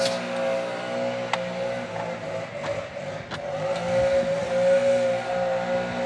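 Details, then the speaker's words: Homelite UT08572 two-stroke after repair, engine hot, just before a compression test: steady high buzz with a clean, even note and no misses or sputter. Running well. "Let's see how it's doing now. It's sure running well. It's hot. Might need to let it cool."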